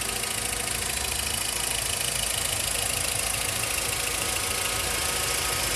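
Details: VW Voyage Comfortline 1.6, 2010/2011, 46,783 km, idling: a fast, fairly even light ticking of about 160 per minute over a hiss; began after timing belt and tensioner replacement, owner suspects the injectors, not the camshaft.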